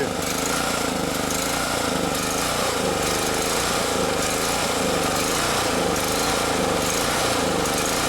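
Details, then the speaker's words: Champion generator that would not start after a year's storage, now running after simple checks; runs rough with a loud drone rising and falling about once a second, surging, owner suspects a carburetor fuel issue. "it should settle out it's got enough fuel it sounds like it's okay maybe running a little rough look it just started surging"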